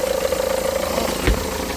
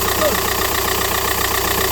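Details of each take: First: 2009 Seat Leon, engine running: fluttering whirr and dull thump at the front from the A/C compressor pulley wobbling because its centre bolt thread is stripped and won't tighten; crank pulley damper rubber also suspected. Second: 2009 SEAT Leon with a reported noise near the crankshaft pulley and an oil leak. After refitting the part, it starts and holds a smooth, even idle with a steady beat and no squeal or knock; normal idle.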